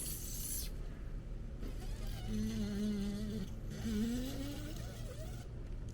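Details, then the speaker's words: Removed old shock from a 5.9L Jeep Grand Cherokee ZJ during a long-arm suspension install, hand-cycled: wavering squeaky groan rising and falling each stroke, still some charge but rusty, little travel; worn shock absorber, being replaced. "this doesn't sound too good so shock you know did its job"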